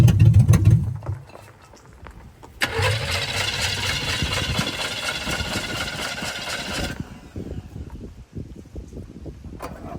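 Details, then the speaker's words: 1985 Oldsmobile Cutlass with swapped 283 small-block Chevy V8: starter cranks in short bursts but engine never catches; owner believes it ran out of fuel after sitting, having burned the fuel put in last year. "I know what's wrong with it it ain't got no gas in it I'm pretty sure I remember saying it burnt up all the fuel in this"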